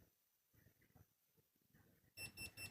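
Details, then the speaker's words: MacBook Pro A1989 logic board on a tester via the EDP display connector: three quick high beeps signal a fault, pin 1 diode value reading 45 instead of the normal 238. "You can see D. So you have the problem. The beeping, Then you see the D 3. we hear the beeping. So there is a problem."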